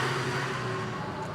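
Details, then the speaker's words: Magicycle Jaguarundi folding e-bike after bedding in the brakes: a rough, bubbling gurgle with faint humming tones from the front disc brake as applied, which the owner says it always does for unknown reasons. "Okay, hear that? It's like a gurgling sound. That's the front brake. This one always does that."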